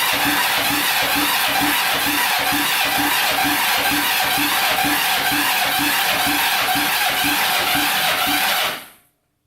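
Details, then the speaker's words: 1980s Kawasaki Mule 450cc, formerly seized and rusted, with a rebuilt top end, timed cams and gas poured into the carburetor: even starter churn with compression pulses about three a second, never firing. Owner feels compression is pushed out through the carb; carbs to be cleaned. "uh no go by putting uh gas on the carburetor i think we're gonna take these carbs off clean them go through them and then try this again"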